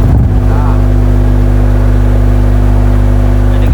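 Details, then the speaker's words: Speakers wired in series and fed directly from mains power with no amplifier at 500 W: loud, steady low hum drones evenly with no rattle or break-up. The driver handles it normally. "Di speakernya diseri. Di masukkan listrik langsung listrik besar bisa."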